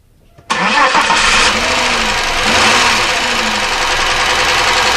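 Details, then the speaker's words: 1999 Chevy Malibu 3100 V6 at idle: engine fires and settles with steady rhythmic internal knock; rod knock versus top-end (valve) problem still undetermined. "and that didn't sound too good did it so that is definitely an internal engine noise obviously the ideas whether this is a rod knock or whether it's a top-end problem with maybe valves list or something like that"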